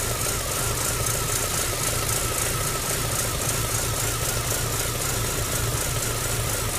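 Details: MG ZR 105 at idle: steady drone with a rough, uneven flutter layered over it. The noise comes and goes despite new plugs, leads and alternator belt. Intermittent abnormal engine noise, cause unknown.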